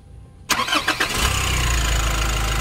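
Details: Nissan NV350 diesel after replacing one fuel injector and all the injector washers, fixing heavy vibration and fuel knock: a short crank, then it catches at once and settles into a steady, even idle with no fuel knock. Normal start and idle.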